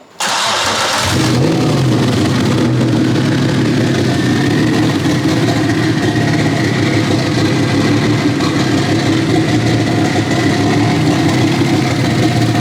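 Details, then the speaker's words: BMW E36 with turbocharged M52 on its first start, fired by jumping the starter: crank, quick catch, then a loud, uneven, lopey idle with a raspy note like a lumpy V8, from running an open dump pipe; turbo spooling. "This sounds kind of like a lumpy V8 at the moment, which is kind of weird, but obviously it's because we're just running the dump pipe."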